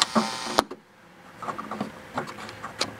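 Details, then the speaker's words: Heathkit IT-5283 signal tracer built around 1983: scattered scratchy crackles and clicks as the volume knob turns, from a worn, noisy volume potentiometer. "but here is pretty sensitive when the single tray syringe that volume pots getting time noisy"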